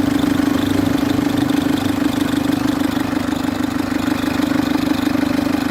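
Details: Citroen C3 HDi diesel idling: steady whirr with an even chatter about three times a second from the auxiliary/serpentine belt tensioner, loud; tensioner to be replaced along with the belt.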